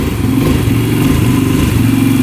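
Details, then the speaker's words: 2011 Yamaha Raptor 125 quad with the choke off and the gas cap off: the single-cylinder idle is uneven and lumpy, faltering and sagging, then it stalls. It is obviously not getting enough fuel; the tank vent is ruled out and the petcock flow is to be rechecked. "choke off. Yeah, it stalls out. So, it's obviously not getting enough fuel for sure."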